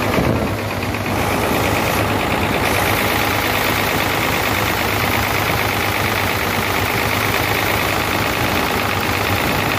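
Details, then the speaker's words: Hino J08C truck diesel that overheated, with water in it, idling with the top cover open. Rough, loud, steady hard clatter from cylinders 1 and 2 with very high back compression. "The sound is coming from 1 number cylinder and 2 number cylinder and back compression also i will get you checked"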